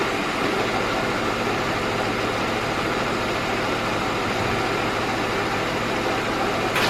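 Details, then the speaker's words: 2005 Hyundai XG350L at idle with check engine light and codes P0350, P0300, P0302, P0305: an uneven, low, lumpy rough idle. Codes show two cylinders misfiring, but it sounds like only one. "As you can see, it does have a rough idle. Now, according to the codes, I'm showing 2 cylinders on a misfire, but it just sounds like one."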